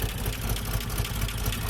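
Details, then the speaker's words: 1988 Jeep Comanche Renix 2.5L I4 after fixing skipped timing chain and broken tension pin: low, steady idle thump about four beats a second with a slightly uneven edge; runs a little smoother, possible misfire suspected. "That's something. Not bad. Cool. That's a little smoother, eh?"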